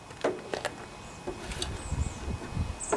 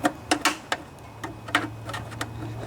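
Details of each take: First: Snapper SR1028 rear-engine riding mower, Briggs & Stratton flathead, junkyard rescue, air filter fitted, before carb mixture tuning: cranking clatters, then catches and settles to a steady even beat; sounds good once warmed up, slight surging stutter remains. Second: Snapper SR1028 rear-engine riding mower with Briggs & Stratton flathead, engine seemed locked up: irregular sharp ticks and scrapes turning over slowly as the flywheel fan catches on a bent flywheel cover, even after pushing it back down.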